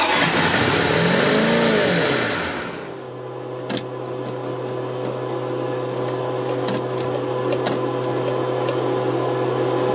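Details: OMC 5L boat engine, fuel inlet hose fed from a jar of gas to rule out tank restriction; catches and revs briefly, dies within about three seconds leaving an electrical hum; stalls after starting, cause undiagnosed.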